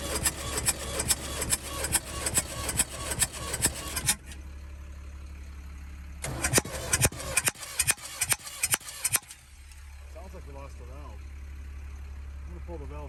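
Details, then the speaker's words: Ford 550 backhoe no-start after new injection pump and injectors: rhythmic cranking with sharp chuffing pops about twice a second blowing out the intake and exhaust, smoke and fuel present, never running; cause suspected, valves to be checked. "i got smoke got fueled on there but it's popping out of the exhaust out of the intake so there's definitely something going on"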